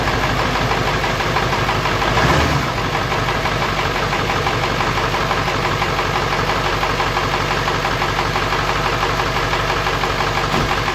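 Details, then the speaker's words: 7.3L Powerstroke diesel in a manual truck, just after a turbo and pedestal re-seal with new O-rings: steady, even diesel clatter at idle with no rising whine or stray knocks. Normal idle, with leaks still to be checked. "That's that. Sounds good. I'm gonna let it run for a minute."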